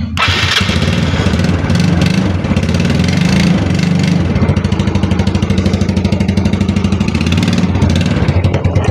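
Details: Mio Sporty scooter that would not start, after splicing a chewed-through ignition coil high-tension wire: engine catches right away on push start and settles into a steady, even putter, running normally.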